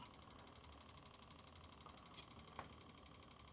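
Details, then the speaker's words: Homemade kitchen air-freshener box fan (Fan 8) after a blade repair that stopped the motor spinning inside the blades: quiet, even whir with soft blade flutter from the blades' imperfections, no rattle or slipping hum; back to normal running. "t doesn't make that noise anymore. The noise you're hearing is just the imperfections, just the blades. That was always the way the design was anyway."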